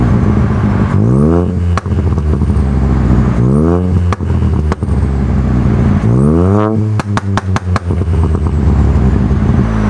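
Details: Ford Fiesta 1.0 EcoBoost with newly fitted Cobra Sport resonated exhaust: three clean free revs rise and fall smoothly, then sharp overrun crackles; deep even exhaust note, nothing wrong.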